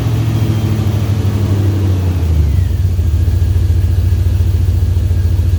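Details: LS V8-swapped 4-speed Datsun 280Z with newly built exhaust: deep, throaty V8 catches and settles into a steady, even burble; smooth low idle with no knocks or ticks; normal idle.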